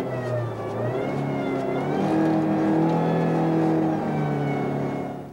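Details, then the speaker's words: Power steering pump at high engine rpm under high system pressure: high, steady scream over the revving engine, may come from internal pump wear; power steering whine. "O Grito é um ruído de alta intensidade que ocorre em altas rotações em condição de alta pressão do sistema"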